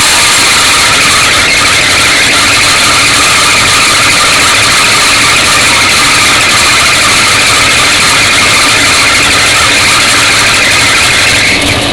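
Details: 1966 Mustang 289 V8 at idle: loud, steady high-pitched squeal that persisted after tightening and soaping the fan belt; turned out to be the alternator squealing under electrical load.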